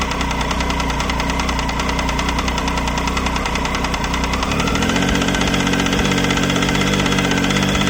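Steady fast tick riding over the engine note, about two or three a second, staying as revs rise slightly; ticking from the engine, cause unknown.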